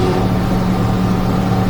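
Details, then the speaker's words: Micro van after a suspension lift, driveshaft at steeper angle: steady low drone with constant hum under light throttle, goes away when letting off, no knocking; U-joint binding slightly and causing vibration, new U-joints ordered. "that u-joint has like a little bit of resistance you feel it yeah so it has to be just binding up a little bit and it's making that vibration"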